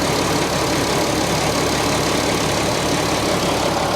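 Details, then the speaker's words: 1988 Monte Carlo SS at a salvage auction, running after a jump-start. It gives a steady, even idle with no knocks, misses or ticks; the engine sounds healthy. "all right she sounds good right it does it sounds very healthy very healthy"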